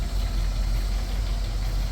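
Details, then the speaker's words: 1959 Cadillac Coupe DeVille V8 idling: deep steady idle with a faint repeating tap underneath; a knock of unknown source, carburetor also needs rebuilding. "Got a little bit of a knock. Hopefully, with my little special treatment, we'll take care of that."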